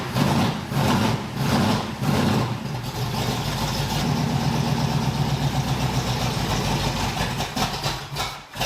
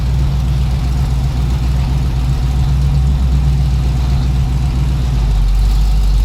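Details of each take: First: 1981 Cutlass Supreme small-block Chevy V8, cold start after retightening the polylocks during valve hot-lash: it catches and stumbles with lumpy, uneven pulses, then settles to a shaky idle. Rough running from overtightened valve lash. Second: 1981 Cutlass Supreme small-block Chevy V8, outside after valve hot-lash, correct plugs and timing/HEI fix: a smooth, settled, even idle with no ticks, misses or knocks. Normal idle; owner suggests a slightly richer tune or more warm-up.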